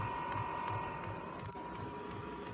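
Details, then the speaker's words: Amazon diesel heater newly installed in a garage, powered by a jumper pack because the battery was too weak. A steady fan hum with sharp pump ticks about three per second while pushing fuel and purging air; normal priming, and the heater later runs fully. "Had to hook up the jumper pack. The battery wasn't quite strong enough, but it is getting the air out."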